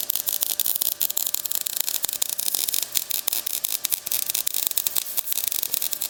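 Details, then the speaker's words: MIG welding thick steel for running boards on a 1956 International COE truck frame, with the welder set hot and fast: harsh, spitting crackle with irregular pops while bridging a gap in the joint, going softer once the gap fills. "There's a bit of a gap here. So, that's the sound you're hearing. Here I sound softer and less crackly because I'm filling in the gap."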